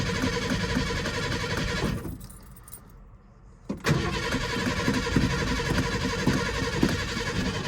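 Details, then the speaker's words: Old Ranger at 70°F after sitting since Thanksgiving through a Massachusetts winter, battery not trickle-charged: long uneven starter churn, lull, then catches and settles to rough idle; slow start, smells of gas, cause not confirmed. "Took a bit. Made me a little nervous."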